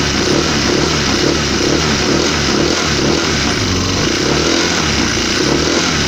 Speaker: Dengeran kan suaranya krok krok krok krok